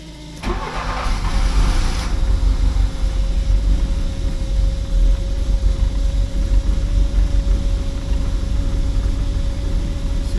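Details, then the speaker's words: 1979 Porsche 924 after a fuel tank clean, restarting after a stall that the owner suspects was air in the fuel system: a short crank, then it catches and settles into a steady idle; the fuel filter was later found fitted backwards. "it looks like it's maybe just stopped for whatever reason. Maybe a little bit of air got up in the system. We'll just see. Give it another go."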